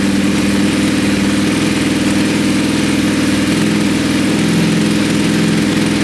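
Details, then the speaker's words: Wrecked 2020 Ducati Panigale V4S, first start with oil and fuel vapour smoking off the engine: a loud, deep, even idle burble with no misses or knocks; the engine sounds okay after an earlier backfire-like noise. "the engine it actually sounds okay"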